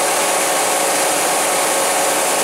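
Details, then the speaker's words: Kia van, cold weather, parked after a test drive with engine running: steady, even rush of air with no rattle, tick or scrape; the electric cooling fan sounds normal now and there are no leaks while running. "it's sounding normal now cooling fan and there are no leaks so it doesn't leak when it's running"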